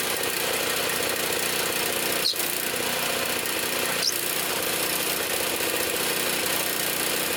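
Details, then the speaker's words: Trash-picked Toro Power Clear 621 E snow thrower, 163cc OHV four-cycle, previously wouldn't run, first start after repair, primed, choke on, warming up: steady even run, no knocks or misses, sounds good. "it sounds good let it warm up"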